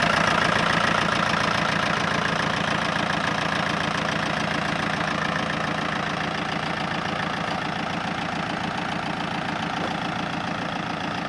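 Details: MG ZR TD diesel idling steadily with a fast, even ticking running through it; cause unknown.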